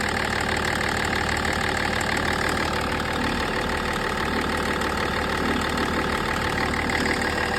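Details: An M57 diesel idles with a steady, fast tick of about three per second over the usual clatter, plus vibration and an uneven idle; cause not clear. Ticking noise at idle.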